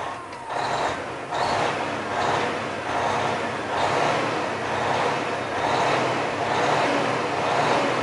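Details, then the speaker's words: 2002 Freightliner Century with fully rebuilt Detroit diesel, oil pressure just above 50: deep, even idle with slow, steady beat, no knocks or misses; healthy. "fired right up that's pretty good so she's running good she sounds good"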